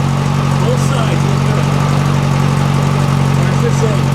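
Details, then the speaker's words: 1956 VW Beetle engine idling after all valves were readjusted to a 0.006 in feeler-gauge drag. It is much quieter, with a light sewing-machine tick and smooth, even idle, and the earlier rattle is gone from both sides; normal idle. "let's start it up pretty easy and it's a lot quieter than it was a lot quieter still sounds like a sewing machine but no more of that rattle rattle rattle rattle not from either side"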